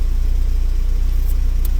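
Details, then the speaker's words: 2010 Hyundai Getz after crank angle sensor fix: smooth, even idle around 880 rpm on scan tool with steady beat, no misses or stumbles; crank sensor now reading correctly, normal idle. "So the RPM pretty much correct and it's showing 880. That means the crank angle sensor doing what's it has to be done."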